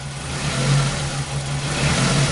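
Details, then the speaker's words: 2001 Ford Focus Zetec engine idling with a misfire that worsens as it warms up. The lumpy, wavering idle keeps dropping beats. Misfires began after a timing belt change years ago, and a new OEM coil didn't fix them. Coil current looks normal; the injectors are being checked. "man this actually gets worse as it warms up"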